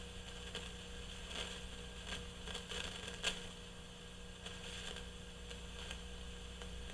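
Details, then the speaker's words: GE CX371 receiver amplifier during restoration, microphone pointed at the circuit: random, irregular pops and crackles over a low steady hum. The source is an intermittent noisy carbon composition resistor. "they usually just go absolutely crazy when they're noisy so it has its moments again it's intermittent right"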